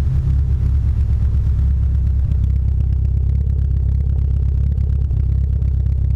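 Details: Mitsubishi Lancer Evo 8 running on 91-octane fuel: a loud, deep engine note with an uneven, lumpy pulse of about three beats a second, stumbling like a misfire; cause unconfirmed.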